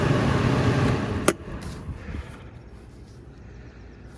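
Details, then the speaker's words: 2008 walk-in cooler condensing unit on the roof, box warm, condenser fan running but compressor not: low strained hum about a second then sharp click, compressor hard start with overload tripping; start capacitor suspected. "yeah that was the overload that just clicked did you hear that"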